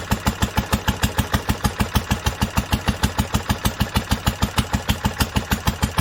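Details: 1946 International Harvester LBB 3-5 hp water-cooled single-cylinder engine, first cold start after sitting covered a long time, started on the next pull after two choked turns; crisp, even chuffs about three per second, no knocks or misfires, running healthy.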